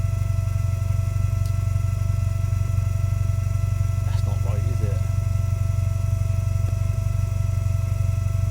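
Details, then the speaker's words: Toyota GT4: steady high-pitched whine over a smooth idle that only gets loud after about 10 minutes of running; owner suspects the fuel pump or fuel system and plans to replace the fuel resonator and fuel pressure parts; fuel pump whine. "I don't understand why it gets loud after like 10 minutes. Why is it not loud straight away?"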